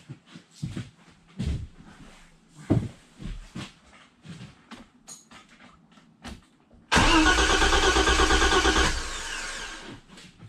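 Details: BMW E30 325is, sat neglected for years, being revived in a tent garage; starter churns about three beats a second for two seconds after clicks and handling noises, engine never catches while owner tests for a ground/positive pulse. Cause suspected, not confirmed.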